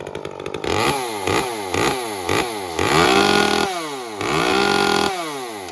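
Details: Echo CS-355 chainsaw after repair and carburetor tuning, previously wouldn't rev to wide open throttle: repeated blips to full throttle climb quickly to a clean high scream and drop back evenly with no bog; possibly still slightly rich on top end.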